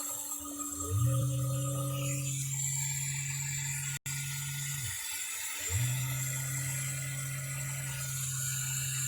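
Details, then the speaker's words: Original roughly two-year-old 3D printer layer fan held at 100% inside ABS enclosure during hotend cooldown: spins to steady low hum with whirring edge, drops out and returns, sounds weird but still moves air; owner suspects due for replacement. "oh it sounds like this thing might be due for a placement this this fan is original it's probably about two years old and what if there's just something in here it sounds kind of weird but still moving air"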